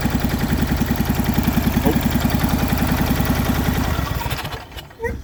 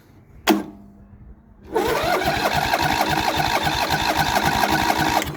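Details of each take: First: MTD Yardman riding mower twin, first start in years, valves just adjusted, new starter, choked, booster pack, old fuel: lumpy uneven thumping then stumbles and dies; one spark plug wire left unhooked, running on one cylinder. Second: MTD Yardman riding mower twin-cylinder engine, first start in years on 1-2 year old fuel, valves just adjusted and starter replaced: after cranking and false starts it settles into a steady, even putter on both cylinders once the second plug wire is connected; normal running.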